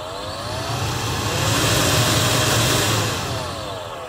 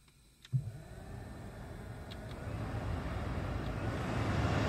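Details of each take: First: 2016 Honda CR-V climate control blower motor with a new cabin filter and no debris: whirring drone rising and falling through fan speeds with a dry rough edge; worn blower motor bearing, motor replaced. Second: 2016 Honda CR-V climate blower after motor replacement for a failing-bearing whine: spins up smoothly to a steady rush of air with no whine or bearing growl.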